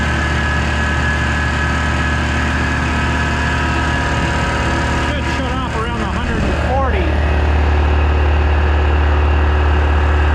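A steady low motor hum settles into an even drone as it pumps up; this is a compressor filling its tank normally.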